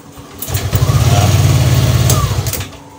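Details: Yamaha Lexi scooter after recharging its dropped battery and riding, battery now reading 12.5 V with dashboard no longer flickering: strong, even two-second starter crank with no drop-off, healthy start.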